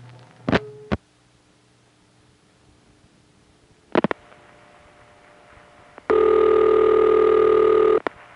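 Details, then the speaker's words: No.1 crossbar office, Belle Harbor, Queens, 1974 home-phone recording of a call routed through a single crossbar tandem: a couple of sharp relay clicks, a pause, another click burst, then steady ringback; normal call progress. "when it's going through a single crossbar tandem like the ones we've heard it can sound like this"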